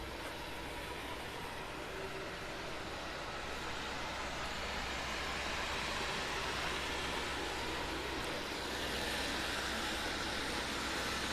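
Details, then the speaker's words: 1969 Lincoln Continental idling after road trip, new fan clutch spinning fan much faster: even idle under strong steady swelling air whoosh; water pump bearing seems okay, so the wheel-rotation noise is suspected to be a wheel bearing. "Really, that water pump bearing doesn't look too bad. Maybe I was worried about nothing. That sounds okay."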